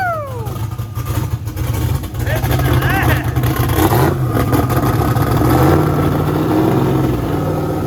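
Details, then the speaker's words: Turbo LS Mustang built for 1000+ hp, new Aeromotive fuel system, first fire-up; choppy loping idle around 900 rpm with a few throttle blips, air-fuel ratio right on; normal big-cam idle. "what do you think that cam sounds nasty that's like 900."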